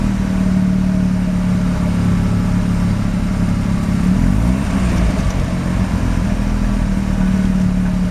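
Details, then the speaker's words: Mazda RX-7 rotary, extremely high CO (2.70), failed inspection: rough uneven idle stumbles and breaks up when revs rise briefly; misfires under light throttle; no oil pressure, no leaks; ignition leads measured; cause unknown. "I noticed that he's misfiring. It has a rug idle, it shakes a bit, and he makes a peculiar noise when I crank it for the first time."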